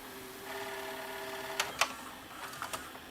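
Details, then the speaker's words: Panasonic PV-4361 VHS hi-fi VCR after the mode switch was dealt with and the picture shake fixed, in reverse search: faint steady tape-drive whir with a few light mechanical clicks and no grinding or wobble. Operation is normal. "so fast forward or our search forward works fine double speed playback works fine reverse"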